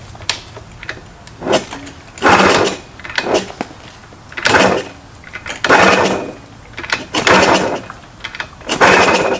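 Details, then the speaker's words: Junkyard Yamaha PW80 two-stroke pit bike, first run after rebuild with new carb, starting break-in: rough, rattly revving bursts about every second and a half; owner hopes the horrible noise is transmission not engine, plans oil change. "that sounds so bad that I'm literally waiting for it to explode"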